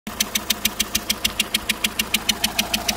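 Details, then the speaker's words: Renault Megane 2 1.5 dCi 100 hp diesel at idle, just after timing belt replacement: sharp, even metallic ticking about three per second, likened to a helicopter or train; source unknown. "j'ai un bruit là je sais pas ce que c'est je voudrais savoir à votre avis d'où ça vient l'origine de ce bruit là on dirait un truc d'hélicoptère de quoi un truc de train là"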